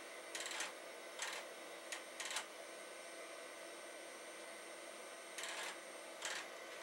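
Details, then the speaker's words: Accelerated Amiga 2000HD floppy drives tested: short bursts of harsh gritty grinding under half a second with quiet gaps, drives grinding as they seek. "I want to see if the floppy drives work. That sounds gross. It is grinding."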